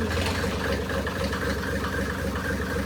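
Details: 1984 Mercedes 380SL with swapped turbo OM603 diesel, just after first start, in neutral, throttle not connected: idle clatter with uneven hunting beat about four per second; rough because idle not yet adjusted.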